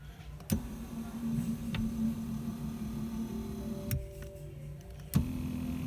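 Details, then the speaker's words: 2000 Dodge Dakota quad cab power driver's seat after clunk fix, reinstalled and tested; even motor hum driving the seat one way, pausing, reversing, with no clunk at either end. "no clunky clunky there you go guys see you later"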